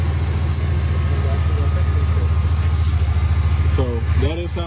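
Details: 2005–08 Pontiac Grand Prix GXP idling after a power steering pump replacement and refill, bleeding air: a steady, even idle with a smooth low hum and no whine or groan from the pump. Healthy.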